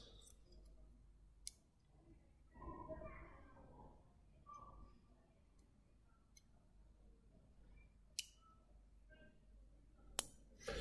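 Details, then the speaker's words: Low-power relay driven from a computer through croc clips to switch a battery motor circuit: quiet room with a few sharp, isolated clicks seconds apart as the electromagnet pulls in and drops out; normal relay switching. "can you hear that that's relay switching on and off"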